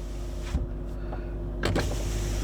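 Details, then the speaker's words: Range Rover L322 power window after a one-touch reset: a smooth, even motor hum as the glass runs down and up on its own, with a soft clunk at the stop; normal operation. "hold it you'll hear a click now window goes down on its own comes back up on its own"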